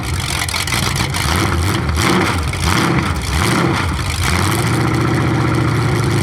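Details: 427 big-block Chevy V8 on an engine run stand, first fire after a very long time unrun, distributor timing just adjusted: deep, even rumble revving up cleanly and settling back, no misses or knocks; healthy.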